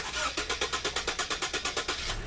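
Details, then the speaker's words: Hard starting returns once the serpentine belt is refitted: long, even starter churn about ten beats a second for nearly two seconds before it barely catches. Without the belt it started easily; the cause is still being traced. "Hard starting na naman. Pag may belt."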